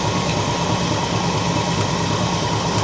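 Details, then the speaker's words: 1968 Ford XL 390 Z-code big block after new 4-barrel carb, timing chain, water pump, points, condenser and exhaust gaskets: loose, irregular sluggish idle with some clicking; owner suspects a leak somewhere. "Need still still sluggish. Okay, I'm going to shut her off. And I'm pretty dog on sure there's a uh we got a leak in here somewhere."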